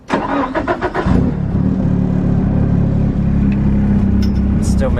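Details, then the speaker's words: Nissan S13 drift car, end of a track day, stainless exhaust: fires up and settles into an uneven, lumpy lean idle after it cut out and struggled to make boost; spark plugs suspected, not confirmed. "it was struggling to make boost and of course my gauge blew up but you can tell it's idling really lean now too"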